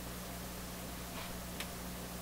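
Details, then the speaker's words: Viking console tube stereo, switched on and warming up: low steady hum broken by sharp intermittent clicks; owner suspects heat expansion in the tubes, not confirmed. "Something just clicked. Probably a heat expansion click. Another click. Couple more."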